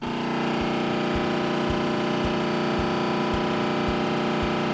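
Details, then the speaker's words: Oven door lock motor grinding on a Samsung range during self-clean start: harsh buzzing drone with a dull thump about every two-thirds of a second as the door fails to lock; a small cheap lock switch was found faulty and needed replacing. "then I decided to use a self-cleaning feature to clean the oven and this is when I heard this awful sound"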